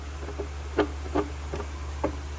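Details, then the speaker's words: Homemade rock tumbler, drive shaft turning the three-pound barrels on cheap half-inch pillow block bearings: steady low hum with uneven clicks and scratchy knocks; rough worn bearing, to be replaced. "this is the drive shaft here it'll turn the barrels and that's the drive shaft for the smaller the three pound Burroughs this bearing sounds awful right here"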